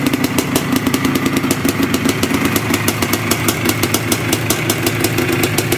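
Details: Yamaha IT490 two-stroke single after engine install and rebuild, running 40:1 premix after a few heat cycles, with a temporary silencer stuck on; crisp, regular popping at an even idle with no misfires or rattles, healthy.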